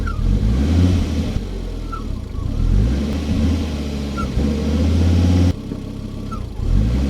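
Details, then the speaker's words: Volvo five-cylinder swapped Mazda MX-5 Miata driving and revving, mics on rear bumper and under hood: short high chirp each time the clutch is pressed. Suspected BMW plastic clutch release bearing pressing on the Volvo pressure plate, possibly failed afterwards. "Looking back at this footage, I can actually hear a little chirping noise every time I press in the clutch."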